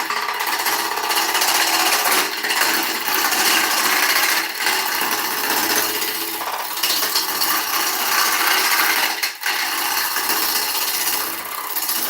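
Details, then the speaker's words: Ash log turned on lathe for serving bowl: harsh, uneven chattering scrape about four rattles a second as the tool runs over bark at the rim; tool rattle from cutting across bark. "You hear that rattling? Because it's running on that bark, okay?"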